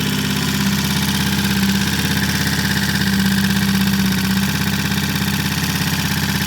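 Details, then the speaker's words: Vintage British Triumph T20M single on a 12-volt ignition running independent of the bike, replacing the faulty energy-transfer system, timing set by strobe: firm, regular beat with mild speed changes and no misfiring or popping; running normally. "We don't know why yet, but we've got a 12-volt ignition system here running independent of the motorcycle, and it's running great."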